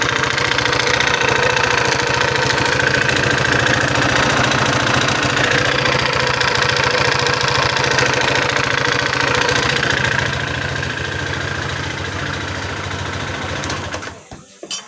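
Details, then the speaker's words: Older Honda PCX 150 scooter at idle: hard, regular metallic clatter at roughly four knocks a second, loud until shutdown; severe engine knock, cause not yet pinned down. "Dengan kendala mesinnya suara melatak, Teman-teman."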